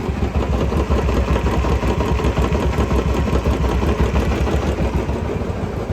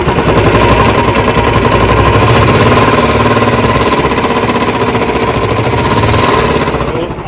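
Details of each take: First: Royal Enfield Classic 350 after head repair for a tik-tik top-end noise: starts on half a kick and idles with a steady single-cylinder thump, no ticking. Normal idle, noise gone. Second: Royal Enfield Classic 350 (Bullet Standard) single at idle: thumping beat with a rapid, sharp tik-tik riding each beat from the cylinder head, worn valve guides and valves in the head.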